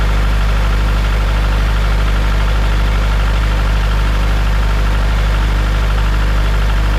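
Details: Farmall Super M tractor engine, before the rebuild: steady low idle with an even, fast tapping knock of about four a second over the exhaust beat; knock source not yet identified.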